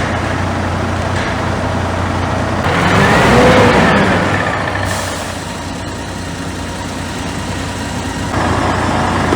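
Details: 2021 Scania G410, methane-fuelled 13 L OC13, under 500,000 km, after rebuild of overheat-cracked heads and broken liners from running without coolant: a smooth, quiet, even idle with fan and air hiss on top. Normal idle.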